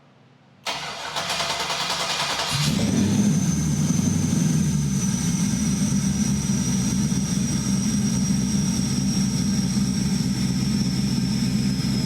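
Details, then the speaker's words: Chevy 5.3L V8 with stock cam, before NSRx Stage 3 cam swap: starter grinds briefly, then catches into steady, even idle with deep burble, no knocks; quiet valvetrain, 50–55 psi oil pressure. "It actually sounds really good. Man, this thing's, like valve train wise, this thing's quiet."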